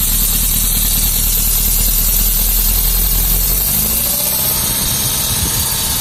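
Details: 1972 Lancia Fulvia V4 with original Solex carburetors, cold start after sitting in cold weather, not warmed up: engine catches and settles into a steady, slightly lumpy idle on a bit of choke, no misses or knocks; healthy.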